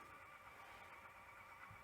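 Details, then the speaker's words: 1982 Toshiba V9600 Betamax deck, stored since 1991, being restored: steady thin whirring whine as the mechanism runs but the idler seems stuck and the reels don't pick up speed during rewind; cause suspected, not confirmed. "Oh, I can hear it going, but it seems to be maybe stuck. Might have to give it a little wiggle, bit of an incentivize. It sounds like it's trying"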